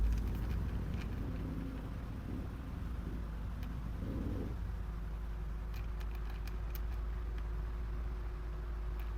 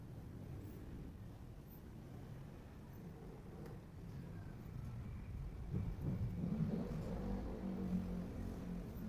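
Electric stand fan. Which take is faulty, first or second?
first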